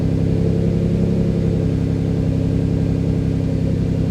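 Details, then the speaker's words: Twin-turbo Ford Capri fast idling, running quite rich at 19 degrees timing; steady, slightly high idle with an even low throb and no misses. ECU pulling timing to lower idle because the throttle set screw is too high. "yeah so he's trying to pull you want me to tell from that trying to pull timing out to lower the idle so my set screw is definitely too high"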